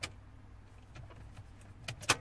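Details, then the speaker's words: 2005 Renault Modus 1.5 dCi, cluster dead, immobilizer light solid, no communication with ECU, EPS, airbag modules: a few sharp relay clicks at key-on, engine never turns over; no crank, no start. "you can hear that normal like sort of a relay going when it's first on the key on"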